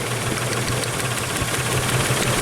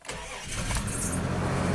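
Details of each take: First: Isuzu/Honda Rodeo warmed up after a half-hour test drive with an intermittent misfire; lumpy idle with steady stumble and hard puffs, cylinder four dead, no spark from its coil. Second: Isuzu Rodeo/Honda Passport starting after wiring harness correction and coil swap: brief crank, catches cleanly and settles into even idle with no stumble; normal start.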